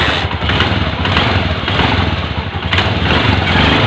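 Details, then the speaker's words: Honda TMX Alpha 125 single-cylinder motorcycle after repair, with a part removed and pin-welded: pulls evenly in first gear with a steady beat, smooth, the earlier first-gear whine gone. "Matindi Ayan okay na mga pre at smooth na yung andar niya wala ng haling yan"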